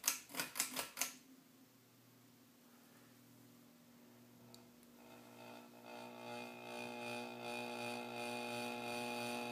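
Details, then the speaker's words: Ceiling fan switched on with a few clicks, spinning up with a growing buzzy vibration. The cause is the loose light-cover glass held by a small screw, not the motor. "so I want you to look at this glass this glass protects the light and it's uh secured with a little screw and let me just lift up a little bit on this light here hey the vi"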